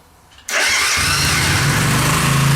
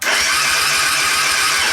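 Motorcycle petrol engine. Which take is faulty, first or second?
second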